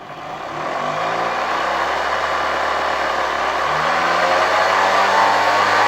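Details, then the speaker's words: 1972 Hoover 1346A vacuum cleaner after cleaning and reassembly, run on reduced voltage via regulator: motor whirs up then steady loud coarse hum, much louder in housing than removed. Cause suspected, not confirmed. "After installing it in the entire housing, it's quite loud. I think I screwed it in quite tight here."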